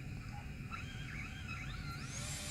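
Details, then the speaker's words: Small quadcopter (whoop) motor checked for bent shaft on the table: short, clean whine climbing smoothly in pitch as it spins up, no buzz, rattle or table vibration; shaft runs true. "and you can actually hear hear that it's not vibrating on the table"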